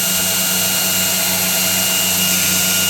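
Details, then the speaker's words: Newly built 2x72 belt grinder running unadjusted: steady high whir with even belt hiss and constant motor hum, no knocks or flutter; runs smoothly and the belt tracks true. "I don't have to adjust it stay perfect runs perfect it's in place where I need it"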